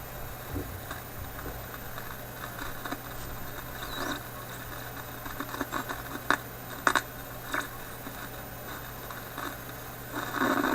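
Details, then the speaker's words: Philips 922 vacuum tube radio restarted cold after sitting a few hours, on current restriction at reduced voltage: irregular sharp crackles and pops over a quiet hum; crackling has returned, and the owner suspects the IF capacitors. "now that crackling seems to be there which doesn't seem too affected here around the highest battery"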